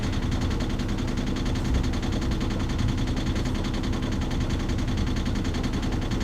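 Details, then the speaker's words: Yanmar marine diesel sailboat engine at cruise: steady clatter with even light tapping knock; normal for this engine, running fine with no overheating. "That knocking sound, we do hear it. Yes, we're sorry. You can hear that. That is our engine."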